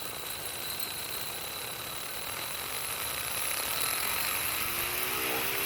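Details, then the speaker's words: PALM mower cutter blade's 775 motor with metal blade on a modified tank chassis, fed about 5 V by a buck regulator from a 13 V battery, spins up to an even high whir with no wobble or rubbing; works and seems well balanced. "Comes up to speed. So we have function at 5 volts."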